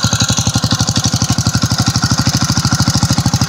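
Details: Homemade low chopper with 5hp Tecumseh single-cylinder, after cleaning stale gas from tank, carb and petcock; started on first kick: quick even thumping about three firings a second, no misses; normal running.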